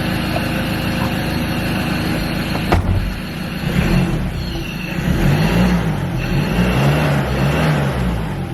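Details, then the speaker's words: Ford Ranger T6 diesel (2.2 or 3.2) after replacing failed electronic turbo actuator for P2598 limp mode: starts cleanly, revs rise and fall smoothly with even clatter, no misfire or hesitation, no error codes; normal running. "The car is revving freely, it's got all its power back, and it's 100%"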